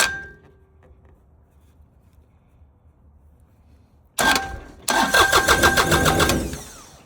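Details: 2020 New Holland Work Master 25S subcompact tractor with no-start issue, safety switches jumpered and started via a wire to the exciter wire; short crank, pause, second crank catching into even rapid diesel chatter that settles: normal start.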